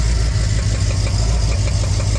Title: 400 z28 rod knock